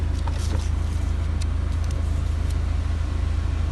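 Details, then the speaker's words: Renault Megane 2 heater fan that had stopped working, fixed by checking its connector sockets by hand: deep steady rumble with even pulsing; heater blower running normally and heating. "şu anda körmü gayet güzel bir şekilde ısıtıyor üfürüyor"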